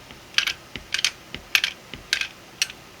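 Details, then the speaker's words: 3D-printed single-print 1/2" quick-release ratchet: crisp light plastic pawl clicks when turned clockwise, locked counterclockwise; working normally. "place your socket on turn it clockwise you can hear it clicking but it can't turn counterclockwise so this is now functioning"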